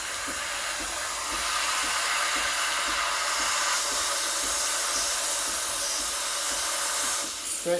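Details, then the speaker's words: Breville Barista Express BES870, freshly serviced, steaming milk for a latte: steam wand at full pressure, steady loud hiss with faint rhythmic pulsing; normal steam wand operation. "i want to hear that hissing sound that means i'm injecting air"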